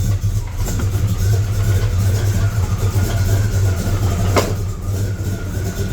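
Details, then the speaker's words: Truck V8 with mild cam and 850 CFM carburetor, cold start, not yet warmed up, carburetor not yet dialed in: lumpy, uneven idle with wavering loudness, alternator audible. Rough cold idle; owner says it smooths once at temperature. "and it's not warmed up. You can kind of hear that it's not tuned right."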